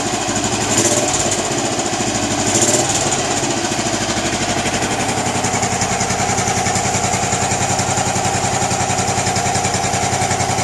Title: Bullet 500 iron cast thumping sound